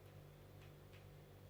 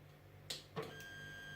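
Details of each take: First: Anet A8 printer Y-axis stepper on a new BigTreeTech TMC5160 driver with an SKR V1.3 board, moving in its quiet direction: soft low steady hum with faint sparse ticks; the Y-axis is loud in the other direction only, owner suspects wiring. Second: Anet A8 3D printer on its stock drivers before the BigTreeTech TMC5160 upgrade, homing and moving the Y (bed) and X (hotend carriage) axes: whining tones jumping in pitch with each move, clunks at stops; loud stepper vibration.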